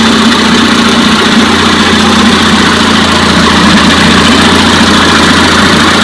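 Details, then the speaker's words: 1956 Johnson 15 HP outboard after replacing the points on the top cylinder, which had been misfiring with no spark. Loud, even, fast steady buzz with no skips, as both cylinders fire cleanly: normal running after the repair. "all right so together joshua and i changed the points on the top cylinder that was misfiring and that puppy runs good"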